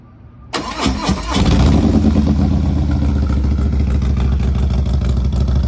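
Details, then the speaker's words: Harley FXLRST Low Rider ST 117 ci Stage 2 with Star Racing 30/30 cam, Power Vision dyno-tuned the day before, cold start: catches quickly after a short crank, settles into a deep, even V-twin lope; healthy. "taking it out for a ride so you can hear it really really greatly improved let's start with the cold start"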